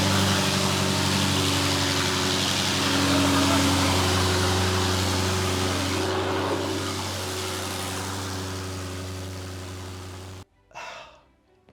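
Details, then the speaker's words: Fire-damaged Audi RS6 after engine and wiring repairs, first start on third attempt: steady, smooth hum holding even for ten seconds before cutting off; runs healthy with no misses or knocks. "cannot believe the engine is finally on and we have a fully working and running RS6."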